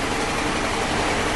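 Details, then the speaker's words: 2006 Saturn Ion at idle, code P0300 random misfire, with cylinders 2 and 3 not firing on the scanner. Lumpy, shaky idle with a dull, uneven chuff, like running on only two cylinders. "Okay, just want to show you what the engine is running like. As you can see, it's running pretty lousy. This feels like it's running on only 2 cylinders."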